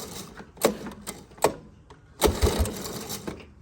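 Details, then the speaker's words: 1983 Honda ATC 185s single-cylinder ATV, seat off and tank moved; normally only starts with starting fluid. Three or four pulls, each a brief cranking rasp and chuff, never firing; owner suspects it isn't getting enough fuel. "all right no start and I think it's not getting enough gas because I've got a spray starter fluid in it"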